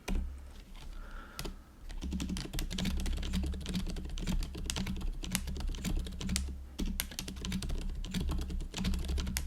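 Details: GoPolar TKL keyboard converted from Azure Dragon to factory-lubed Silent Cream Yellow Pro switches, stabilizers fixed, typing test: soft, muffled keystrokes in quick uneven bursts, no spring ping or stabilizer rattle; normal quiet typing.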